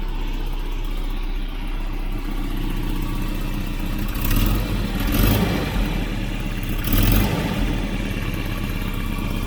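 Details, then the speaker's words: Half-million-km Volvo 740 wagon with a replacement exhaust manifold and new downpipe gasket, at idle and a couple of blips: a hissy puffing chuff on every pulse, rising with revs; a severe exhaust leak persists at the downpipe joint. "Still blowing. It's got a horrendous blow out the downpipe out of the where it mates here. It's just firing out of here."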